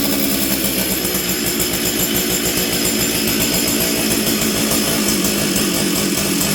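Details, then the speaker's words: Stihl 044 Arctic chainsaw after fitting the correct new coil and new spark plug: loud buzzy two-stroke holds fairly high speed with an uneven, slightly burbling beat, running better but often dies; rich, unsteady fuelling. "okay well it seems to be running better right now but often this thing runs good for a bit and then it dies"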